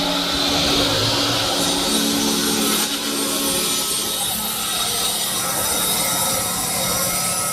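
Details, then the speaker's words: Holzher vertical panel saw rip cut through a board after tuning the horizontal rip alignment and base: steady, even blade roar with no bogging or surging; pushes much better, no longer fighting the blade, slight burn at cut start. "well it pushes much better it sounds much better going through the board I wasn't getting the typical fighting that I was while I was pushing against the blade"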